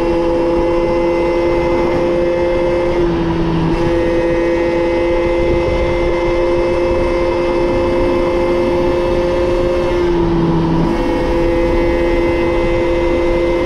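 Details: Moped/scooter (MBK) two-stroke after carburetor leaned out (air filter had enriched it, limiting it to 30 km/h), now reaching 70 km/h; high buzzy drone holds steady, dipping and recovering twice with throttle changes, running healthy.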